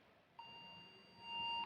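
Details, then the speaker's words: MSI PRO B650-P WiFi motherboard started without memory: one long steady high-pitched speaker beep signalling no memory; with memory fitted it will not start, and a chipped piece of the CPU die was found. "Чуємо. Спікер пищить, але з пам'яттю материнка не стартує."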